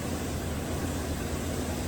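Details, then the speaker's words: 2017 GM 2500 HD truck, 6.0L V8 with port fuel injection, idling just after startup, running rough with MIL flashing and codes P0300/P0302. It has an active cylinder 2 misfire, with a low rumble that stumbles now and then. The cylinder 2 spark plug was found missing its ground electrode. "Well, let's start it up and see if we have any active misfires. Showing some misfires on number 2 right now."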